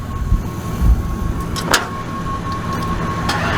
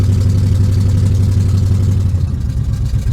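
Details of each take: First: Buick Regal with known wiring problems (fan relays suspected wired backwards, fan stuck on): sluggish churning as the starter drags the engine slowly without catching; a slow crank, with a weak battery suspected and a jump needed. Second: Carbureted Buick Regal, started after priming the fuel pump and pumping the throttle while cranking: steady, even low rumble with no misses or knocks; warmed up enough to keep running, and the battery is charging.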